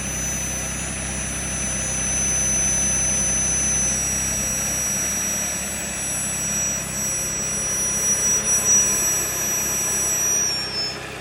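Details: Audi A6 C7 3.0 TFSI petrol idling with a thin, steady high-pitched whine over the low engine hum; strange noise, cause unknown.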